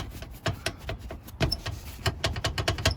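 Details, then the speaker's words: Jeep TJ tumble seat mechanism missing its bushings: sharp, irregular bursts of metal-on-metal clicks as the latch bounces loose; seat mechanism rattle. "in your seats is not normal and it's not supposed to do that it's actually supposed to be smooth and quiet"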